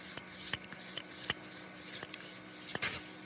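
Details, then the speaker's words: Electric eRocker power steering bladder fail-safe: a pressure switch drives an air solenoid with a 0.050 nitrous orifice, cycling between 12 psi open and 8.5 psi closed: light scattered clicks, then a short sharp hiss as the valve pops off and vents normally. "It pops off, opens at 12, closes at 8.5, and so you end up with 8.5 psi in here. And so it just cycles between 8.5 and 12 psi, and that seems to work pretty well."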